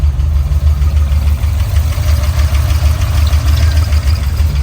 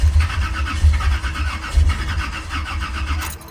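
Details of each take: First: Old-school car after 700R4 transmission swap, connector changed, fans running: brief stumble then deep, steady even rumble with no knock or miss; normal idle, back in business. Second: Old-school V8 car after 700R4 transmission swap, battery 11.8 V, 12-volt distributor feed cable deliberately unplugged: starter cranks evenly for several seconds with no fire; crank no start from no ignition power.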